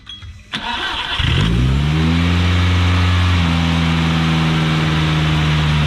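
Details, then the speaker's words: Big-turbo 1.8T (Mark IV) with a bolt-on Hemi throttle body, first start-up: cranks, catches and settles into a raised, slightly unsettled idle caused by a vacuum leak. "yeah it was a vacuum leak i gotta find it hold on there's gotta be some one of those vacuum lines don't let it die"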